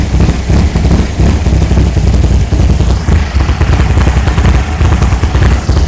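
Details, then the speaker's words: 1964 VW Beetle after new carburetor, rockers, coil, rotor and cap, just started after heavy cranking (possibly flooded): loud, deep, choppy idle that surges and lopes unevenly; sounds like it has a cam, not confirmed, owner to be asked. "it sounds like it has a bit of a cam in it"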